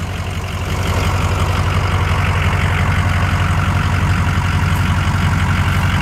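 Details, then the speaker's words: 2006 Ford F-350 King Ranch 4WD, 6.0L Powerstroke diesel: steady even idle with a deep regular beat, no misses or knocks, AC working; normal idle. "[Laughter] [Music] so sounds super mean ac is kicking ass as you can see over there"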